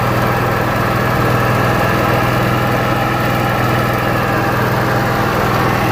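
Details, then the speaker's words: Onan Marquis Gold 5500 RV generator, restarted while still warm after a fix for stalling after 15 minutes and not restarting until cooled; steady even drone with no surging, dying or misses; issue appears solved. "it looks like the issue is solved works just fine"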